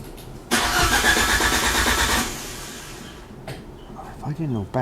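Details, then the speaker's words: Fiat Panda with swapped Abarth Panda Turbo T-Jet engine: starter churns about two seconds with busy, uneven rhythm, never settling to idle; hard start. "I'd say it was fuel pressure definitely plenty of fuel there"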